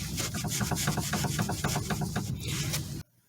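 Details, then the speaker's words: Steering rack shaft rocked by hand on a vehicle that clunks while driven. It gives a rapid irregular knocking, about four a second, from internal play. Confirmed bad rack and pinion. "It's a big clunk. Definitely this is a bad rack and pinion. I just confirmed that it's a bad steering rack."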